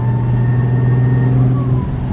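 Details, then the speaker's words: Audi B5 S4 twin-turbo after boost leak fixes: after lifting off throttle a high whistle slides down like a siren over deep rumble. Owner will check inlet and charge pipe clamps for leaks; boost level up, cause unconfirmed. "oh yeah it definitely sounds different like after I do a whoa it almost sounds like a almost sounds like a siren going off pretty funny"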